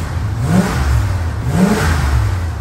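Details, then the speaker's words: 1977 Chrysler Newport, 400 big-block V8, after about 10 minutes of idling to warm up following two months sitting: deep rumble with two quick throttle blips about a second apart, revs climbing and dropping cleanly. "okay so i've let the car idle for about 10 minutes or so we have some temperature a little gas concerning let's see uh see if it's running a little better"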